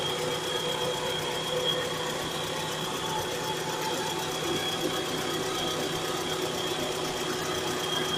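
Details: 1998 Mitsubishi Carisma GDI at idle, after timing belt and A/C belt replacement: fast, light ticking over the hum whenever the engine starts; mechanic found no cause. Engine ticking at idle.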